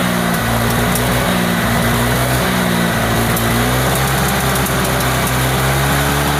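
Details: Honda Vario 125 scooter idling unevenly, the beat catching and stuttering, with smoke turning from white to black. A stumbling misfire, possibly a fouled spark plug; suspected, not confirmed.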